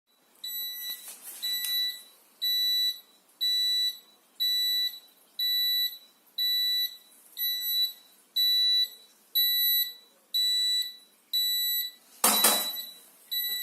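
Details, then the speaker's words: Zanussi Acycle 1000 FE1014N washing machine, also with humming bearing: shrill beep repeating about once a second, a dozen times, as the washer halts on rinse and goes no further; rinse-cycle error, fault not identified. "И потом опять сюда переходит, опять пищит, и все, и дальше ничего не происходит."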